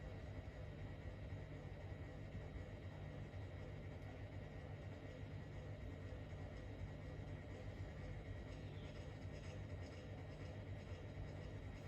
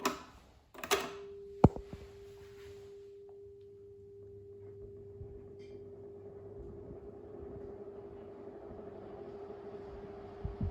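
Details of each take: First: Fan running on low after its capacitor was replaced, drawing 29.5 W and spinning faster than it used to on high. A quiet, even hum with no ticking, rubbing or wobble: normal. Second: 1980s Stirflow 16" oscillating desk fan on low speed (38.4 W): steady mid-pitched hum under soft airflow whoosh. Owner believes the brittle motor housing is making the noise.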